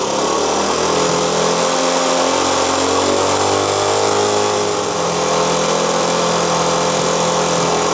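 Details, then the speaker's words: 1973 Honda CT90 single-cylinder idling steady and even after fitting a cleaned, rebuilt vintage OEM carburetor in place of the aftermarket one; only just starting to be adjusted into spec, yet running far better; a fan hums behind. Normal idle. "You heard this thing. I've just barely started to adjust it, you know, into spec, but I can go ahead and tell you it's worlds better than it was with that aftermarket one."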